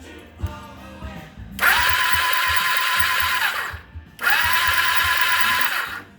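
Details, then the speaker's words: 1982 Suzuki GS1100E under restoration, cranked on a new battery via jumper cables after the old one only reached 10 V: two brisk cranking bursts with a strong, steady starter whine and even compression pulses. Normal cranking speed. "so I put a new battery onto my jumper cables and this is what it sounds like"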